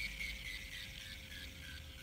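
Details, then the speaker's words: New Shimano Stradic FL 2500HG spinning reel being cranked: a thin, steady high whine rides over the soft whir; gear whine the owner hopes will go away with use. "There's a whining. You hear that whining?"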